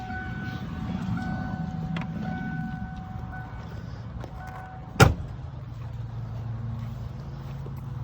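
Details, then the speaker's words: 1992.5 Ford Mustang 5.0 LX, key held in start after new battery cables: only faint fuel pump hum and a single click, no cranking; faulty starter solenoid relay, replaced. "so you get in you go to crank it [Music] you can hear your fuel pump line turn the key forward you got nothing leave the key in forward"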